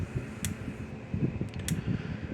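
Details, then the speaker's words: Power Wizard PW2000 electric fence energizer after repair: its 10µF capacitor read only 5µF and was replaced with 20µF (probably about 3–4 J instead of 2 J). Sharp clicks about every 1.2 s with the red light flashing, a spark from fence to ground, and normal pulsing. "But let me plug it in here, turn it on, clicking again. The little red light's flashing."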